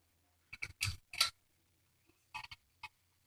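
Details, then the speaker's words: Ceiling fan of unknown make (guessed Litex), about 55 rpm, with sharp creaks in uneven clusters over a faint low hum; dry fan needing more lubrication. "can hear the pledge creaking in each more lubrication"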